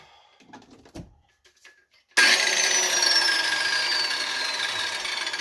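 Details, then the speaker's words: 6-inch corded grinder, after a cord repair, spun up to a high whine with a gritty rattle that doesn't smooth out; some wobble seen; gears sound badly worn, might be helped by greasing. "sounds like this has some serious uh sounds like the gears in here are right [ __ ] up there's definitely some"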